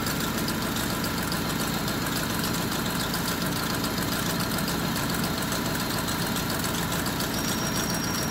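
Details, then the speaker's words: Honda with check engine light: uneven idle with irregular knocking stumble, misfire from faulty ignition coil; loose coil socket found as cause, idle normal at 750 rpm after fix. "Okay sira yung isang ignition coil try muna natin to So pwede din kasing hindi na isaksak ng maayos to kaya siguro hindi nagf"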